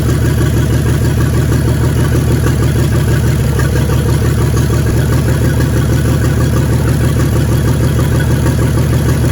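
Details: 1942 Chevrolet G506 truck, revived after 40+ years: loud, deep, uneven idle with a lumpy beat about three per second; plug-wire pull test found two dead cylinders; ignition misfire.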